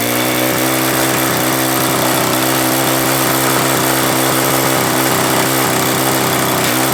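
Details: Troy-Bilt pressure washer, Briggs & Stratton engine stored with fuel over winter, after carburetor replacement, water hose connected: steady even buzz at governed speed, unbroken firing beat; runs cleanly.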